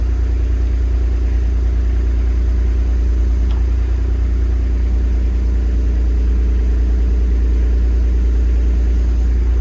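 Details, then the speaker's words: Excavator after new hydraulic pump and valve slice fitted, operating lift functions at low idle: steady even low drone, no rattle, gravelly growl or surging; no cavitation heard from the new pump. "I'm pleased to hear, I'm gonna say it, can't hear a cavitating noise."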